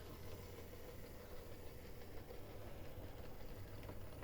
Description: Today I would like to show my Lima 218 with the noisy motor issue solved.